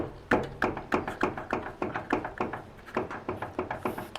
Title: Barulho na dianteira, terminal da barra de direção, veja com é fácil descobrir esse ruído.